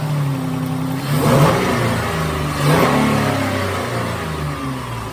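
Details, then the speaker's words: 2011 Dodge Nitro V6 after replacing a worn rocker shaft and rockers that caused lifter noise and a misfire: even idle with two clean throttle blips, no ticking; all six cylinders firing and running well. "I'd say that's a success all the cylinders are there seems to be running pretty well"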